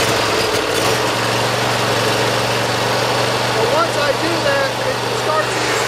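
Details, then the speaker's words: Briggs Intek V-twin on a Dixon mower, after valve lash, Nikki carburetor jet reaming and governor fixes: steady, even drone with no hunting or surging. Starting is good, possibly because the throttle/choke lever is now pushed fully forward, and it runs well. "The running is great, but I think my mistake was I just wasn't ramming the throttle all the way forward to get the fullest choking action."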